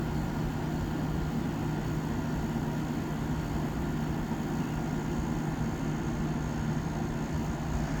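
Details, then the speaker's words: 1987 Montgomery Wards (Frigidaire) 7000 BTU window air conditioner VWE-5157A, rotary compressor, long unused: recorded beside the compressor, a steady even hum near 150 Hz; running normally, starting to cool and building head pressure. "I don't know if you can hear the compressor or not but it's uh it's doing what it needs to I think it's finally building head pressure"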